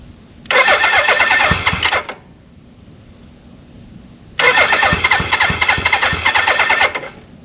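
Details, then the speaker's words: 1983 Suzuki GS1100E, 4,900 original miles, just restarted after years off following restoration: two crisp throttle blips, revs rising and falling quickly with no rattles or knocks; the four-cylinder sounds tight and healthy. "I don't have any bad noises everything sounds really tight"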